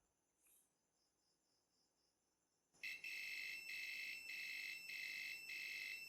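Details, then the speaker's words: Khind ARF-3000 air fryer thermal fuse, multimeter continuity test on red wire: beep comes in short broken bursts, about four a second, instead of one steady tone; poor contact, faulty thermal fuse. "Okay. Terdapat bunyi, cuma mungkin bunyi ni agak terputus-putus, tidak sama dengan bunyi ujian tanpa kita sentuh kepada thermofuse tadi."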